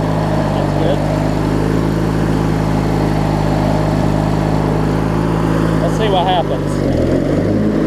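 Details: Craftsman LT1000 opposed-twin rider running with the blades spinning and the deck strapped up: steady low drone at an even, unwavering pitch. Normal running under deck load, though the deck belt appears to be wearing.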